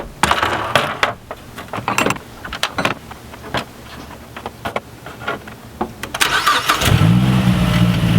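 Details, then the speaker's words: 2012 Mazdaspeed3 turbo engine just after installing a silicone turbo inlet hose: several seconds of clicks and clatter, then fires and settles to a steady, even low idle hum, a bit deeper and sucking more air; normal start and idle. "okay so I haven't driven it yet but it does have a little bit lower end sound and I can hear it sucking more air and it just sounds like it's healthier"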